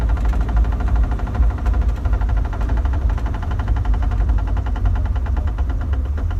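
Steady idle with a fine, fast clicking riding over the low drone; a clicking from the drivetrain whose source isn't clear yet.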